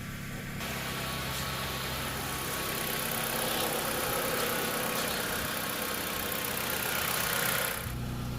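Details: Dodge Caliber with P0301/P0300 misfire codes, watching misfire counts on scan tool after clearing: idle slightly uneven with irregular stumble under steady hiss; cylinder 1 still misfiring, cylinder 4 apparently cleared itself.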